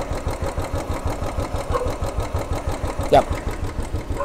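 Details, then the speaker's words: Royal Enfield Classic 350 carburettor motorcycle, new bike, warm engine: idle screw turned clockwise too low gives a slow, lumpy single-cylinder idle with a dull knock (tappet noise) each beat; raising idle speed anticlockwise removes it. "If you guys can hear that knocking, that means this engine setting is not right."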